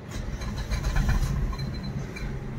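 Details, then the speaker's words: Suzuki Baleno at idle just after start: light buzzy rattle riding engine vibration, also heard inside the car; caused by a strip touching the silencer, fixed by bending it away. "तो गाड़ी start हो गई तो यहां पर फिर से कुछ आवाज़ ए रहा है फिर से एक बार ऑफ जो आवाज़ है यहां पर साइलेंसर छू रहा है इसकी वजह से ए रही है"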